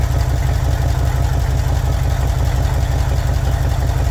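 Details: 1961 Chevy Impala four-door, sat 20 years, running on a boat fuel tank: steady, fairly even low idle pulse, about three beats a second, no knocks or stumbles; normal idle, though it still needs a generator or alternator.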